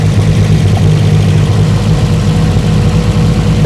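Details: 1972 BMW 2002, twin carburetors, automatic, ignition timing verified on mark with timing light: steady, even low rumble with no misses, knocks or hunting; idling smoothly.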